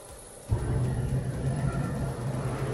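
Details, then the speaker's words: Suryatech Commander 800 gas space heater starting with gas pressure present at the regulator gauge; it purges old gas, draws in fresh air, then self-sparks; a soft thump as the burner lights, then a steady low roar with an even fan hum, clean ignition. "Heater me start करतो। Heater start केल्यानंतर हा जो जुना gas होता तो बाहेर काढतो आणि फ्रेश हवा आतमध्ये घेतो। त्यानंतर हा सेल्फ स्पार्किंग करून गॅस स्टार्ट करतो।"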